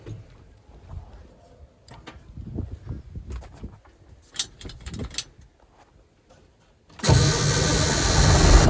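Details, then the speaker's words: Semi truck diesel with a 24-volt starter fed by batteries switched into series while cranking: brief crank, then it catches at once into a loud, steady run. Healthy start and idle. "That ain't too bad."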